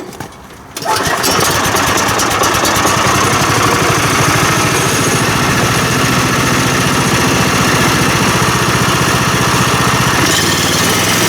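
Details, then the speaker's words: Mill engine test-fired after refitting the mill head and adjusting the chain/teeth tracking; starts after a brief crank and settles into a steady, even chugging run with no knocks or grinding, sounding healthy: normal running. "I don't hear nothing so that's a good thing go with nothing"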